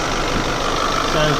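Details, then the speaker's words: Renault Scenic RX4 with F4R engine at idle: dry, diesel-like clatter over the engine note from the top end; owner suspects a rattling dephaser (cam phaser) pulley, not confirmed. "so that noise makes it sound like a diesel that's apparently the d phaser i certainly hope it's the d phaser pulley"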